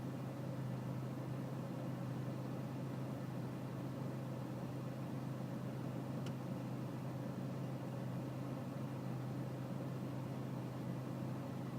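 Diesel idling at a steady low drone with a slightly uneven, lumpy beat underneath; a rough idle, cause not evident.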